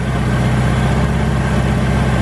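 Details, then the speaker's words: Ford GT-40 engine in a Ski Nautique boat, started cold during an Idle Air Control valve test: a steady, even low rumble with no misses or knocks, the idle settling down as it warms; normal idle. "it's going actually up slowly that means it's building a well and we can hear the idle actually coming down"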